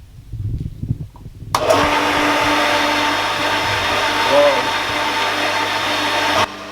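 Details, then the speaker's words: First test run of a newly installed farmhouse hydrophore pump with 24-litre tank: after a click the motor whirs steadily with a thin unloaded sound, nothing delivered; owners then unscrewed it and added more water to prime it. "We did a test run. Nothing really happened, so we unscrewed the whole thing and added a bit more water and let it run for a bit."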